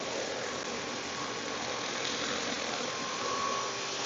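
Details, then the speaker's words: Store rear rooftop AC with a blower belt broken by worn pulleys, as the compressor clicks on: a steady, even hiss and hum with a faint high tone and no knocking or rattling; compressor running. "okay they just clicked on I hear the compressor"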